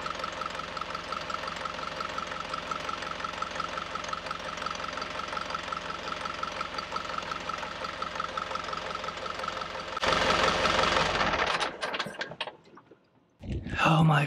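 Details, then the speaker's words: Yanmar 4JH3-TE diesel on a 43 ft Endeavour ketch, first start after clearing hydrolock caused by water entering through an incorrectly plumbed dripless shaft seal; steady even clatter, no misses or knocks, some water and a little smoke from the exhaust. "God she's alive and we saved her water was spitting out the exhaust a little bit of smoke which that was understood"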